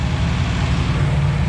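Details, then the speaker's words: 241 Red Ram Hemi V8 during cam break-in on a cold Kansas day: steady deep drone sitting fast, not settling to idle; a vacuum leak is causing the high idle. "it's got a vacuum whenever a vacuum leak"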